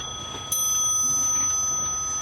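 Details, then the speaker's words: Porcelain clock mechanism after an overhaul and repair, bell just fitted: a single clear strike rings out and decays slowly with a pure, steady tone. The strike mechanism is working normally. "And I'm sure Patricia's going to be really pleased with that. She's going to hear it striking away like that."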